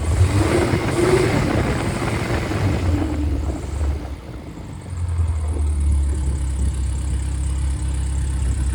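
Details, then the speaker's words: Freshly rebuilt 1500 engine (Triumph Spitfire/MG Midget, FP22382UE; balanced, 9.5:1, 270 cam): strong, even note that rises with a rev, then drops to a steady, smooth idle; oil pressure is about 60 psi above 3,000 rpm and 28–30 psi hot idle; healthy. "I guess when the gets down to idle, it's about 28 to 30 and that's plenty of oil pressure. And so it's doing very well."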